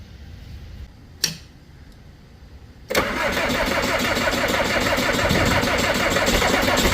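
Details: Diesel skid loader at 22°F, water in the fuel line suspected, emptied fuel filter hand-primed and air in the lines: steady cranking with even compression pulses about four a second, never firing. Cause suspected, not confirmed.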